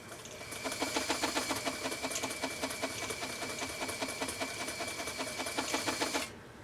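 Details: Elgin 2468 Japanese 1.3 amp sewing machine sewing a zigzag test stitch; fast, even clatter of about three to four stitches a second over a steady motor hum, running smoothly and healthy.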